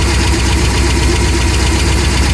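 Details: Ford 7.3L Godzilla V8 at idle: fast steady ticking with a deeper knock on every turn, from lifter failure.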